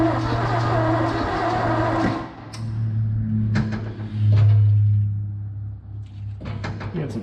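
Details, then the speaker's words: 1970 Ford F250 2WD with a 351 Windsor, abandoned since 1998 with a stuck engine that has now been freed. It cranks in steady starter bursts but never fires despite having spark, with exhaust leakage. Owner suspects low compression from stuck rings or valves. "we got some exhaust leakage over here I'm gonna give her some water I don't know pretty sure it's sparking I can hear it got Spark"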